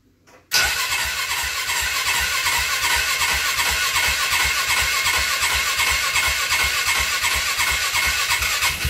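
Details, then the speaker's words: 2012 Polaris Ranger 500 EFI single-cylinder, first start after a new top-end rebuild kit: catches instantly into a fast, even thump with no knock. The little suction sound means the oil system is purged; the start is normal. "So I don't know if you guys could hear that, but that little suction sound, that was the sound that we wanted to hear. So that means the oil system is purged, so we can go ahead, top off our levels and everything."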